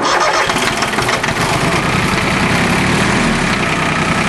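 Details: Small three-cylinder Yanmar diesel after a fuel filter change without bleeding: uneven churning crank, then catches and settles into steady clatter; air in the injector lines, now bled out.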